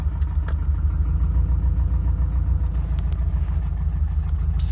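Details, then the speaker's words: Subaru Impreza GC8 with a different engine, after a failed dyno tune, in gear at steady throttle in a parking lot: deep, uneven, lumpy rumble with no steady rhythm, undrivable; rough running, cause not found, tune to be removed. "can't even drive it through the parking lot you hearing that wow literally undrivable listen to it"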